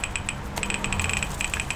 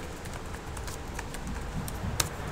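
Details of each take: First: HP laptop keyboard: rapid, bright ticking clicks with each keypress while nothing appears on screen. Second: HP laptop on Windows after turning off Filter Keys. Soft, irregular key clicks play over a quiet background with no beeping, and the keyboard now types normally.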